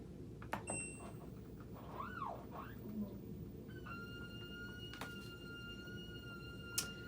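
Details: LG WM3900HWA front-load washer in test mode: a high squeal sweeps up and down over low drum rumble while tumbling, then settles into a steady whistle; owner fears rear bearing, cause unknown.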